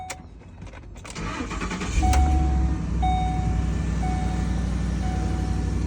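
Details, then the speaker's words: Ford Expedition, previously a no-start caused by a loose battery terminal, now tightened: short crank that catches quickly into a smooth idle with no thumping or warning messages, a normal start. "try it again we don't have any thumping noise no weird [Music] messages start it right up"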